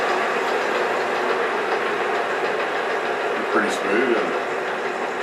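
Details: J44 turbojet motored on its starter after accessory drive restoration: steady airy rush, even and smooth, with a faint light rattle thought to be a bearing that always made some noise; normal motoring on starter.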